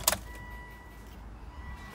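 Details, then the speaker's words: Volvo S80 D5 diesel after fuel filter change, ignition switched on: keys click, then faint steady electric hum for a couple of seconds as the fuel lift pump primes normally. "so what i want to do is just leave that to prime two or three times"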